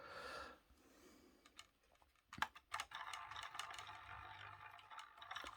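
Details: Model locomotive at full power with motor at the front gives irregular clicks and a scrappy buzzing rattle, humming a lot, body wobbling, running roughly and jittering, no better in reverse; owner thinks loco is dry, cause unconfirmed.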